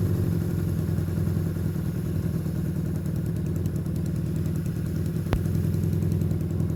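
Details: Long-sitting, previously seized Honda Benley "Baby Dream" motorcycle holding a smooth, steady idle with no misses after the carburetors were cleaned and properly reassembled.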